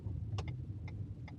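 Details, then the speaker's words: Renault Captur 1.0 TCe turbo three-cylinder running on LPG, engine already warm, in car at idle: soft, low, even hum with only faint ticks, very quiet, normal idle. "let's put it in good first gear and go ahead with the engine at idle it seems to me to be quite silent In fact in my opinion it is very silent"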